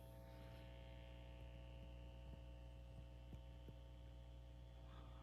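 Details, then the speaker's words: Home theater system on a deliberately chosen dirty power outlet, without the Austere VII Series power conditioner: constant low electrical hum with faint buzz; the hum disappears once amplifiers are plugged through the Austere unit. "deliberately choose the dirty outlet in my home theater so you can hear the hum without using the Austere power delivery system."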